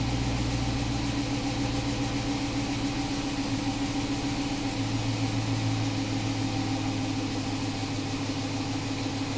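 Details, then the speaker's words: 2011 Chrysler 300 after cam and cylinder head work and a P0300 misfire repair. It idles smooth and even with no stumble, both banks now in closed loop with normal fuel trims, running far better than before. "we can see that our have it on both in closed loop now engine runs ten times better"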